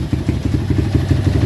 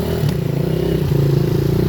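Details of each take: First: Honda XR200 200cc enduro, about 15,000 on the odometer, running again after over 8 months in storage with no parts replaced: an even single-cylinder thump at steady idle, no ticking, knocking or misses, no leaks, very quiet; normal idle. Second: Honda XR 200 (200cc) enduro, stored about 8 months after failing to start, at fast idle with an uneven, slightly stumbling single-cylinder beat while the carburettor is still being tuned; slight misfire.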